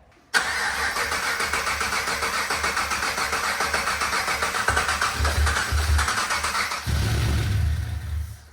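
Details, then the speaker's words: Supercharged (Harrop) LS V8 in Series 4 GU Nissan Patrol with 6L80 auto and 3.5" stainless exhaust, first start: brief crank, catches cleanly, steady even lumpy idle with a blip, heaps of oil pressure, no fuel leaks; normal start. "Nah, sounds good back here. Heaps of oil pressure and stuff, so. Great success."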